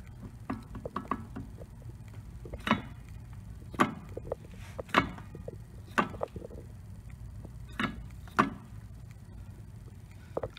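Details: 1999 Mercedes S320 W140 in neutral: sharp dry clicks, roughly one a second, as the driveshaft is rocked by hand at the front flex disc that connects to the transmission, which also clicks when shifting gears; worn driveshaft flex disc.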